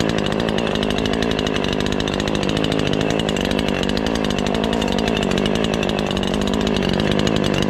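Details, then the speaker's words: Ported Husqvarna 543XP chainsaw, first cuts after porting, chain a bit tight. It buzzes in the cut with a burbling, uneven rasp: way rich and still four-stroking under load, so the main/high-speed jet needs leaning. "Still four-stroking even though you get under a good load, so we can still lean it a little bit."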